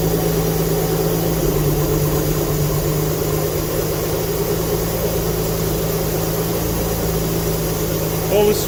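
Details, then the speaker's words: Alfa Romeo GTV V6 abandoned for years, first full start after fitting used donor fuel pump with new seal: even steady idle, smooth low hum, no misses or knocks; runs cleanly, smoke from unburnt oil on engine. "so at least it starts nothing leaking as of yet no water on the floor so let's go for a full start and let's see it run properly oh yes"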